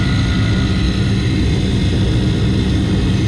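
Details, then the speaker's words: York RTU rooftop unit during burner assembly repair, jumped on W1 and W2: the combustion blower motor gives a loud, rough, steady roar with a heavy low hum and no speed change, running harsh and noisy. "as I've already mentioned this combustion blower sounds like complete dog"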